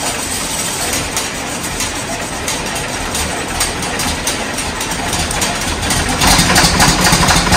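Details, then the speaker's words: 1977 John Deere 4430 diesel first start after nine years standing: uneven idle on about five and a half cylinders, ragged beat; a sticking valve heard, air found in the fuel system, pump suspected sticking. "I think it was about 5 and 1/2 cylinders hear that one great there's one one valve sticking I can hear it"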